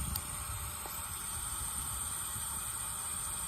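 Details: Diesel engine running with newly installed fuel pressure regulator: quiet, steady, constant high-pitched hiss over low engine rumble; a consistent sound like this is normal.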